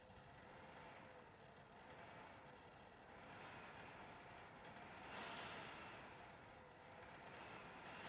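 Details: Dell WD19TB USB-C laptop dock, about two months old, with the computer mostly idle: airy fan rush swells and eases every few seconds as the internal fan randomly spins from 0 to 100%; erratic fan surging.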